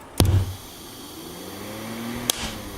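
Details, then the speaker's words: Altec Lansing 2200 Mainframe power amplifier with new filter caps: sharp pop at switch-on, output hiss and low hum across channels, another pop, with a big DC excursion; owner suspects a stuck output relay, unconfirmed. "turn it on as soon as I turn it on I'm already getting output hiss with the rest of them"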